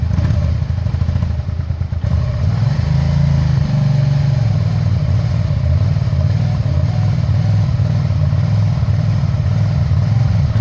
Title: 2001 Suzuki SV650 Engine Misfire on Cold Start